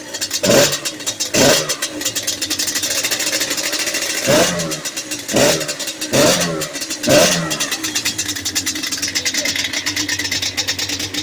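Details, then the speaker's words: Yamaha Banshee 350 two-stroke after a full top and bottom end rebuild and new clutch, still cold, running rich with a cracked pipe and jetting still needed: sharp throttle blips, then an even idle that no longer wanders; normal idle. "Dude, it sounds so much better though. And look at the idle. Look at the idle now, finally. It's not all over the place."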